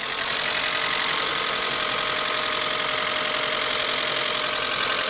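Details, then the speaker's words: Mitsubishi Galant VR4 first start after long storage and a dead battery; loud fast tick over the idle at about three or four a second, owner thinks the lifters must fill with oil; valvetrain ticking. "Man, that sounds really loud, man. Hopefully that ticking goes away."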